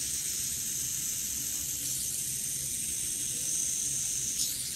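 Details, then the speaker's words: Steel Yardwerx Dab fidget spinner with entry-level "high speed" 608 bearing spinning: smooth, even high-pitched hiss, more pitchy, no grit or rattle; healthy bearing. "so it's more pitchy definitely has a higher speed sound to it"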